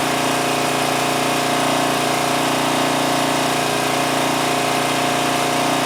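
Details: 2002 Coleman Powermate 5500 generator after backing off the adjustment nut, aiming for about 115 volts; steady, even drone at one speed with no knocks, surges or hunting, running smoothly at its settled speed.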